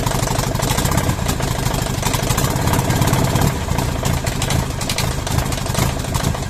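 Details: Mercedes OM611 diesel from a W638, first start after changing bad injectors: rough idle with a sharp, regular knock on every cycle. One injector is still bad but stuck very hard in the head. Diesel injector knock.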